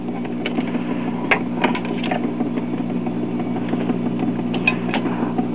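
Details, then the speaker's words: 1947 Admiral portable 78 rpm phonograph with a recapped three-tube amp and rebuilt cartridge: a steady low hum sits under the record's surface crackle and clicks. Mains hum, believed to be a ground-related fault. "also have a sounds like a ground issue I need to address but it's not so bad when a record's playing"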